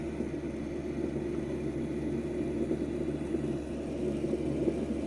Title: HKT Japan Pump making noise (ENGINE IS NOT RUNNING) | Corolla 2002 Se Saloon 1NZ-FE